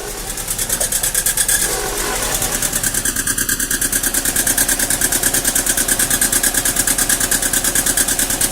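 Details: Mazda Protege (2000 or 2002) very rough idle under diagnosis: after start, idle settles into a lumpy, loping pulse about three times a second; cause not found.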